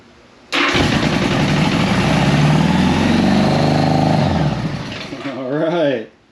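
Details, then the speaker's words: 1975 Honda Goldwing 1000cc after two months rebuilding original carbs, choke down: catches and holds fast busy idle revving to about 3,000 rpm, then dies; idle set too high. "Let's adjust the idle, because that was revving to 3,000."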